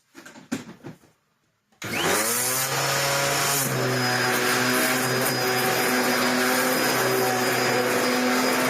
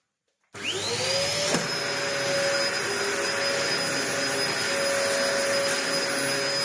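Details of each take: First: Dyson DC01 upright vacuum built 1998, after a replacement brush roll and new wheels were fitted: the motor spins up to a steady, fairly loud drone with a whirring rattle on top; the new brush roll is a little noisier than the original. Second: Dyson DC01 vacuum, built 5 June 1998, about 25 years old, after repair with new parts and original base plate inner refitted; motor spins up to a steady even high whine, no surging or rubbing; working fine.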